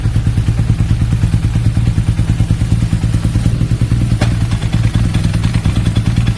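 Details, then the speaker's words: BMW R nineT with an air-cooled boxer engine and dry single-plate clutch, test-run after a transmission replacement, clutch lever pulled at idle. A loose rattling clatter pulses about three times a second. Worn clutch disc, pressure plate and loose housing cover; the clutch set needs replacing. "교체한 미션은 정상적으로 작동을 하는데 시운전을 해보니 클러치 동작 중에 잡소리가 너무 심해서 아무래도 클러치 세트를 교환해야 되겠습니다 라고 하시더라고요."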